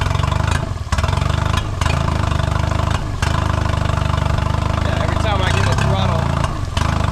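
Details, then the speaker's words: 2008 Honda 20hp four-stroke tiller outboard, first start after unseizing: steady running with brief dips as throttle eases open, stumbling instead of pulling smoothly; hesitation, carb needs cleaning and intake boot leaks, cause unconfirmed. "it's not quite running right."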